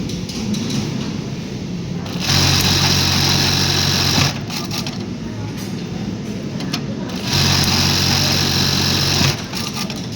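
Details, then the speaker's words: Juki LBH-1790S buttonhole machine running with only single knife stroke set, before converting to double stroke; two even bursts of fast stitching hum, each ending in one knife stroke — single stroke cycle. "Only single stroke ಇದೆ."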